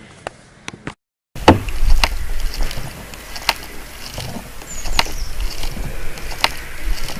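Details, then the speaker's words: Glider fuselage with a crack, microphone against the side while the fin is pushed: sharp irregular creaks and cracks over rumbling contact noise. "yes right i can hear it creaking"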